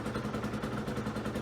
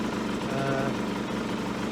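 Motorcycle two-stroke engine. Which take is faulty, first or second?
second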